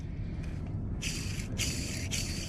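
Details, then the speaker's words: Release bearing from a transmission fitted with an Exedy clutch, turned by hand: three short dry rasping bursts over a low rumble; old, grimy bearing, owner unsure it is bad but replacing it. "you guys hear that i don't know if that's indicating that it's bad or whatever the case may be but uh uh yeah i'm just gonna change it because you can see how old and grimy this thing is"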